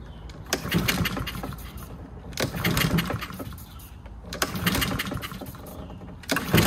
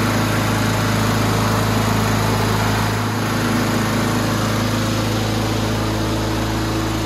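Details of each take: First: Free Husqvarna 7021P push mower before its carburetor clean, started on a spray of ether: bursts into life then sags and picks up roughly every two seconds, not holding speed; its throttle/governor spring was later found off. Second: Free roadside Husqvarna 7021P push mower after a carburetor clean and maintenance, oil warm: small single running at a steady, even pitch with no surging or misses; runs great.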